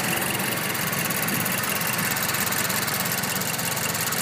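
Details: Mazdaspeed 3 with 18k miles idling with the defroster on: light, fairly steady clicking, roughly three a second, from beneath the TMIC area; exact source unknown, owner thinks it is abnormal.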